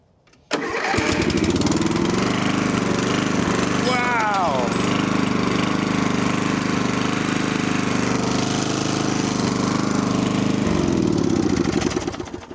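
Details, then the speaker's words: 1980s Snapper riding mower pulled from woods, after wiring fixes, new battery cable, fresh battery, oil and gas: cranks and catches within a second, then a steady, even single-cylinder chug without missing; running normally. "But man, this thing wanted to run. That's awesome."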